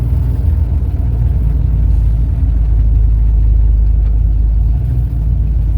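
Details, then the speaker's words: 1971 Ford Torino, rebuilt 302 V8 with C4 automatic, test drive after carburetor tuning with air cleaner refitted: deep, steady rumble pulling along the road, no pinging, rattling or knocking. Smooth, no response problems. "So it's good and smooth as far as driving it. I don't really feel no kind of response problems. I don't hear no pinging or rattling or jarring around."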